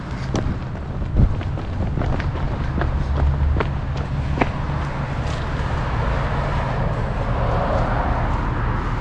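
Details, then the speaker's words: 2006 Dodge Magnum, warmed up, suitcase muffler replaced by two pass-through Magnaflows, rear mufflers retained: deep, steady low rumble with only a slight throaty edge and no rasp or rattle; well-muffled, mild exhaust note. "it just barely sounds a little throaty just barely sounds a little throaty those back mufflers still do a lot of muffling"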